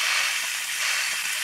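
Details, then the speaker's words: 1978 C3 Corvette with LS1 engine and fabricated Holset HX55 turbo kit, not holding boost; intake pressurized with shop air for boost leak test: steady high-pitched hiss, no engine running; leak found at throttle body linkage with soapy water. "really sounds like it's coming from the throttle body so if i spray it you can see it's in the linkage of the throttle body"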